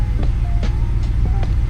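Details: BMW E53 X5 4.8is with N62B48 V8 after DISA valve replacement; previously idled rough with a howl after hard driving, and a popped-off PCV valve diaphragm cap was also found. Now a deep, steady, even idle with no howl or hunting.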